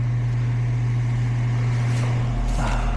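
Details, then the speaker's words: Goodman outdoor AC unit with a no-cooling complaint: a steady low fan hum with no deeper compressor drone underneath, because the compressor isn't running and only the fan is. Low refrigerant was suspected at first, and the capacitor was to be checked. Cause: a loose wire. "Yeah, compressor is not running. Just the [Music] fan."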